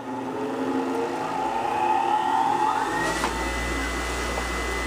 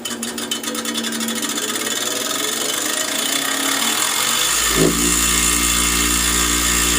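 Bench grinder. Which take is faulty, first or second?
second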